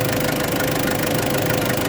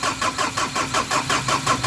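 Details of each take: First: Ford Ranger after top overhaul, started in one click once a lodged leaf was removed, air conditioning on: engine catches and settles to a steady even idle, rising slightly as throttle raises it; no misses or knocks, normal idle. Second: Ford Ranger after top overhaul, starter cranking with even beats about four to five per second, engine never catches; crank-no-start blamed on a leaf blocking it, engine started once leaf removed.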